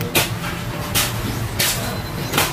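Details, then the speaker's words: Yamaha XTZ 125 motorcycle with a new replacement STX125 carburetor that overflows fuel heavily; rough, uneven misfiring idle with sharp hissing pops about every 0.7 s and a check-engine problem; the overflow is blamed for the misfire and loss of power. "kaya nagpapalyado 'tong motor na 'to."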